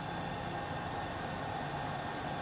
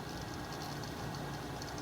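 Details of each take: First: Fluke 199C Scopemeter cooling fan after servicing the noisy fan that had rubbed, bumped and ticked; a bench power supply fan is also audible. Soft, steady whir with a faint even hum, no rattle or scrape; fan now very quiet and healthy. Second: Fluke 199C ScopeMeter cooling fan, unit resting on surface: rough, gritty whirr with uneven flutter and felt vibration, rubbing/ticking; fan hub suspected wobbling in worn bearing, more pronounced at different angles; original fan discontinued.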